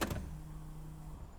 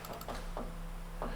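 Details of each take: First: 1992 Mercedes S-Class W126 that died after being parked following a drive to the workshop: starter cranks steadily about three turns a second for five seconds, engine never fires; no-start, cause not yet found. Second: 1992 Mercedes S-Class W126, plugs running rich, fuel pump powered during fuel distributor baseline adjustment; steady low electric hum with faint handling clicks, no fuel yet from the ports; fuel pump running.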